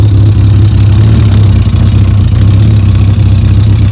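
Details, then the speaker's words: Yamaha Diversion motorcycle after Seafoam carburettor treatment and a shim fix, warm idle just under 1,000 rpm: even low beat with light valve-gear ticking and no clutch rattle; normal idle. "I mean, there's no clutch noise at all. You can hear the valve gear going, now that's what the shim's done. So there's no clutch rattle whatsoever on that."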